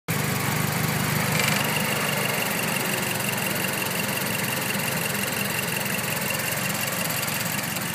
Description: When the defroster is on, I get this clicking/clunk noise coming from underneath the TMIC, or in that general area.